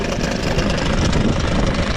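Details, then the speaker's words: Outboard just started, idle slightly low, water stream began after a moment; even steady burble, no misses or knocks; normal idle. "The idle's a little bit low, so I might turn it down. The idle could be increased slightly. Like, right there would be like the optimal idle screw setting."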